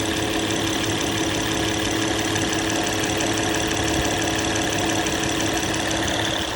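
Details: Engine idling after hydraulic tensioner replacement: even, steady idle with no tapping or rattle from the front of the engine; earlier noise gone, sounds healthy.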